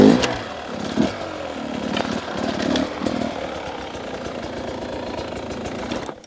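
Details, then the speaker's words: 2023 Beta 250 RR two-stroke riding: pulls cleanly as the throttle opens and closes, no bogging or spluttering; runs smooth and healthy. "there's something about the way that they run that just is it's perfect to me"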